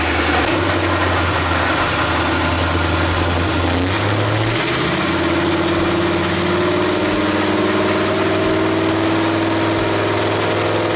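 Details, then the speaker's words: Fox Body Mustang with budget LS swap and 4L80 transmission, new internal harness and input speed sensor, in gear: steady low V8 drone with small pitch rise but no upshift out of first; owner suspects idle problem. "Nothing. And to me, it sounds like I got an idle problem."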